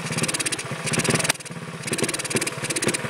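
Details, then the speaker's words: Honda ATC 70 engine, valves freshly lapped, starts easily and idles but won't take throttle, points adjustment changes nothing: small chugs, then ragged surges with sharp pops when revved; popping back through intake, cause unknown, not a burnt valve. "popping back through the intake. Can't be a burnt valve."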